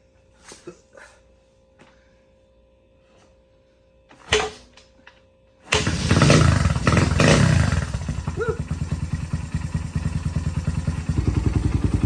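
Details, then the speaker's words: 1998 Honda XR100 after full build, 22 mm Mikuni with 125 main and 15 pilot, XR pipe with spark arrestor removed, faulty BBR rev box taken out: clicks and kicks, then steady, even thumping idle, crisp pipe; normal. "And she runs pretty good. XR pipe sounds good. We got the spark arrestor out, which is just really a drain screen, but running crisp, guys."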